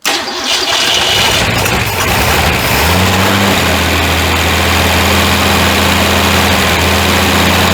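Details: Ford Fairmont first run after 35 years, no accelerator hooked up: cranks, catches and settles to a fast, slightly uneven idle with an occasional stumble. Too much ignition advance is backed off, and carb tuning later removes most of the miss.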